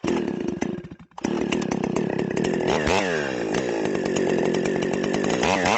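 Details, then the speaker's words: Stihl 028 AVEQ chainsaw, high-speed jet re-tuned by ear: steady high scream in the cut that cleans up, dipping briefly then recovering, and four-stroking once out of the cut; mixture back where wanted. "okay well that's got it right back where I want it as soon as it gets out of that cut you can hear it go to that fourstroke but in the cut it cleans right up"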